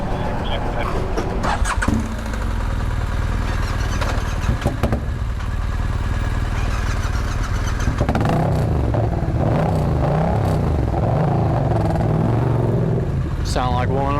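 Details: Yamaha MT-07 twin just after starting: it lopes with an irregular, lumpy beat as one cylinder fires inconsistently. Cause suspected, not confirmed.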